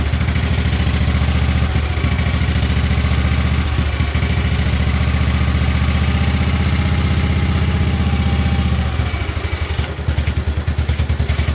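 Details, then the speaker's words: 1958 Wisconsin AENLD engine salvaged from a street sweeper, revived and running on a fuel bottle with muffler fitted after flooding and choke adjustments: a steady, even low-idle putter with no knocks or misses, running smooth and purring, healthy. "I have to say it sounds freaking amazing that sounds amazing she runs so smooth when she's going"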